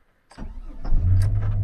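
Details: 2004 Chevrolet Silverado 1500, cheaply bought project truck with an engine leak and a never-changed oil filter: brief crank, then catches cleanly and settles into a steady, even low rumble; normal engine start.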